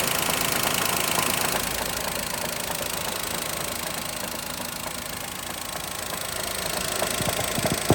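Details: Daihatsu Mira engine at idle: a fast, fairly regular ticking knock about four per second over a rattly idle; internal engine knock, cause not pinned down.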